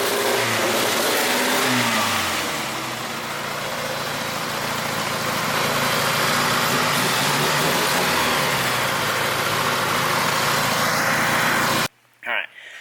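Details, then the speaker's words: 1G GSX AWD big-turbo build revving with old, patched, re-taped coil wiring. The engine stumbles and crackles unevenly as revs climb and fall, misfiring frequently; the wiring is to be redone. "I'm gonna mess with the wiring on here again it just seems like it's misfiring quite a bit and it's just not having a good time"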